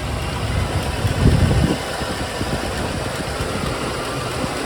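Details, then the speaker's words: Jensen Healey V8 with new heads, hot after a road test, hood open with cooling fans running: even low V8 burble at idle, no knocks or misses; running fine, slightly rich, possible exhaust pipe leak suspected. "Sounds fine. Got the air cleaner. Yeah. Okay. Okay. Not bad. A little bit rich."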